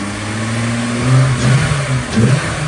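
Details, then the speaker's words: 1992 VW Corrado after a head gasket job (Mark IV gasket, +0.5 compression), new valve seals and lapped valve seats: revs cleanly through blips and settles back, smooth with no knock or misfire. A normal rev; owner thinks there is an exhaust leak. "This thing should rip and roar pretty good. Let's see."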